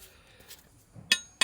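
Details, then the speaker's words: Motorbike's cheap eBay brake disc, removed after it cracked from getting extremely hot, being replaced with an EBC disc. Two metallic taps give a short, buzzy ring that dies quickly: cracked brake disc. "you can hear the uh you can hear where it's cracked I can't see any other cracks but not good"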